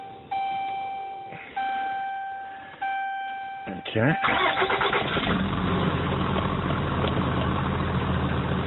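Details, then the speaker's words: 2010 Dodge Ram cold start after a fuel-line repair; the fuel pressure line had been routed into the return side. A brief crank catches on the first try and settles into a strong, steady idle with no stumble or misfire. Normal cold start and idle. "so as you can hear runs real good Run's nice and [Music] strong"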